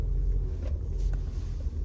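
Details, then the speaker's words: Audi S5 4.2 V8 running after in-tank fuel pump replaced with new Bosch pump (old pump didn't spin on 12 V test; high-pressure pump suspected at first): deep, even rumble with no stumble, ticking or surging; runs healthy with power restored. "we got the power which is good on the right track I'm just happy that it's running"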